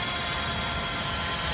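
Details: Nissan Tiida that would not idle and shook in gear, with one failed ignition coil on cylinder 3, after replacing all four; smooth, even low idle hum, quiet and steady, no misses or shake.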